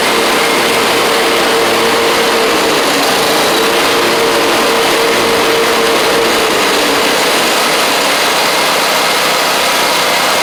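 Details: Gravely 260Z Kohler V-twin, well-used and slightly smoking, after DSAI module removal and ignition coil swap: steady, fairly high-pitched drone at constant speed with a faint whistle, no misses or knocks; running and driving normally.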